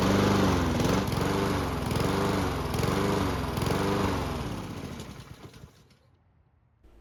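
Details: Lawn mower engine surging: revs rise and fall in steady waves about once a second, hunting governor speed, then the engine dies away.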